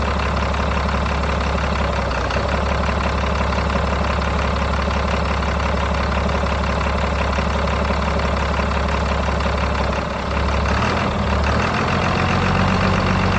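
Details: Diesel donor powertrain (roughly 1,400 lb engine, 5-speed manual transmission) for a 3500 build: steady, even low diesel clatter at idle with no misses or knocks, good oil pressure, though slightly smoking (cause unknown); normal idle.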